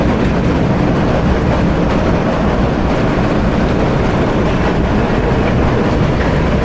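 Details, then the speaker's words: Powerscreen PT330 jaw crusher running under load, jaws closed to about 70 mm and feeding a scalper, before toggle plate replacement, with a badly worn toggle plate: constant heavy rumble and clatter with no clear rhythm; jaws loud and rough. "Right, so I'll just show you the crusher working at the moment. We're going to do the work on shortly. Noisy the jaws are, yeah?"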